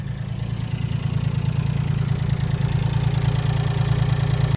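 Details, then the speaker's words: Kei mini truck with an ongoing excessive-crank, rough-start problem, cranked after sitting overnight once the carb solenoids were tested: steady low starter chugging about three beats a second. It took two cranks, a slight improvement, but still no immediate firing. "all right so that took two cranks to come on so I guess a slight Improvement but still it's not starting up you know firing right away"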